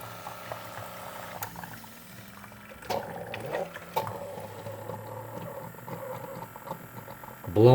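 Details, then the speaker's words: Keurig coffee maker, reported as not shutting off water but now working: gurgling and spitting as the air pump forces air into the heater unit, pushing the last water up the pipe through the K-cup. Normal end-of-brew air purge. "so the air pump is running and it's forcing air into the heater unit displacing the water up this pipe and through the k-cup"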